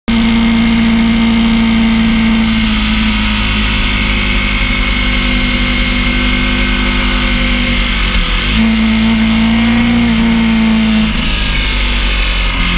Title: PI Bearing Noise in Warm Up